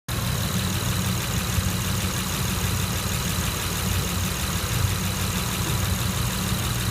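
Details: 2006 Honda Accord V6 manual shaking at a steady, slightly lumpy idle from a small misfire not yet fixed after new spark plugs and coil and cleaned EGR, manifold and throttle body; crank sensor suspected.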